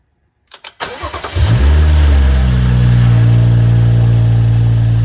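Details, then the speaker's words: BMW F30 at about 100k miles, just after DIY oil change: short crank catches fast, revs briefly, then settles to a smooth even idle with steady low hum and no ticks; normal start and idle. "let's go and fire up the car make sure nothing drips underneath let's start it up and see how she sounds"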